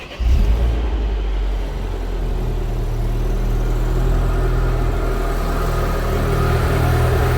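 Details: Citroen DS3 just after fitting an upgraded performance induction filter, first cold start: engine catches with a deep even rumble, a little unsettled then steadying, not lumpy; normal cold start idle.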